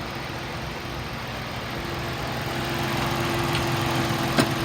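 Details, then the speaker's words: 2013 Ford Taurus Police Interceptor AWD 3.5 L V6, 95,000 miles, front-end collision, had overheated, restarted after 30 minutes cooling: rough, lopey idle about three or four beats per second; steady misfire. "I'm going to crank it up so you could hear it the motor sounds good it does have a steady misfire"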